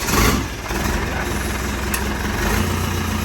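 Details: Land Rover Defender diesel with a newly fitted RTX starter motor, after gearbox, transfer box and clutch replacement: a short crank fires at once into a steady low idle with no starter grinding; a clean start.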